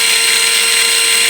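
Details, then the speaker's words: New, unlapped V3 gearbox for an RC King Tiger tank, bench-run: steady, loud high-pitched whine, winding down like a vacuum cleaner when unplugged; gear whine, lapping with 320-grit silicone carbide grease planned as fix. "You can hear that whine. And when I unplugged it, it sounded a lot like a vacuum cleaner coming to a stop."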